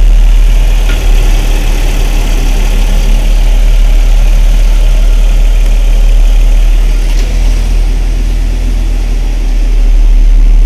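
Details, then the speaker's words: Car idling with the AC on after replacement of the AC compressor, as gauge pressures rise and the compressor cuts out and back in under automatic regulation; steady, smooth low idle hum with no squeal or grinding; normal AC operation. "Donc là il vient de couper, hop, il remet en route. Donc c'est tout simplement la régulation automatique."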